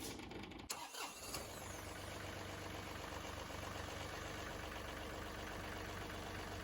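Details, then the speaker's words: John Deere 2038R compact tractor diesel after fuel filter service and priming the fuel pump by key cycling: a brief crank and catch, then a steady, even idle with no misses. "yeah so there we go all of our fuel filters are filled with fuel and we have successfully started"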